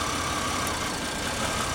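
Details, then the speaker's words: 2001 Pontiac Grand Am with misfire at idle, misfire history on cylinders 1 and 3, P0300 code, vacuum gauge fluctuating; shorting this plug wire shifts the steady idle hum with faint whistle, so the cylinder fires; healthy cylinder in power balance test. "you can hear a change in the engine so that cylinder is working"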